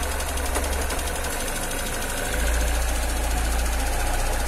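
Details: Car engine cold in the morning idles with a shaky, uneven low thrum and fast ticking about three to four per second; cold-start ticking and rough running, cause unclear.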